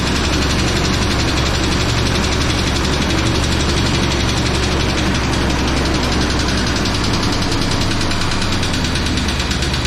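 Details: 1999 Chevy Tahoe started after sitting 14 years, showing 60 psi oil pressure and smoking: a loud, rough idle with a dull, uneven knocking buried in the engine noise; the cause of the knock is unknown.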